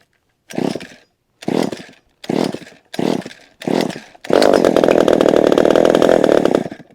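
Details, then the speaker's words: Vintage chainsaw with an automatic oiler, started on choke after little use: five short pull-start bursts, then a raspy, steady two-stroke buzz. It runs loud and smoky, and the smoke is easing the longer it runs. "so this one's actually getting better I think the more the more I run it the more I run it the less smokier it is although it's still smoking"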